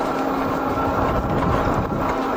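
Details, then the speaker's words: Lankeleisi MG600 Plus electric fat bike (70 Nm motor) riding on road: faint repeating rub coming and going with each wheel turn over road and motor hum; warped front brake disc catching the pads. "Bon, j'ai toujours ce bruit bizarre."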